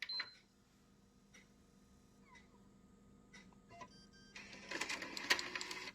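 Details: PS5 disc drive after repair, ejecting a DVD: a few light clicks then a short whirring rattly burst as the tray pushes the disc out; clean normal eject.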